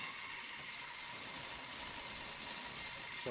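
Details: 2012 Kia Rio serpentine belt under the hood gives a steady, high, shrill squeal over the running engine. Spraying the belt silenced it, so the belt is slipping and needs replacing, not the tensioner bearings or the A/C compressor clutch as first suspected.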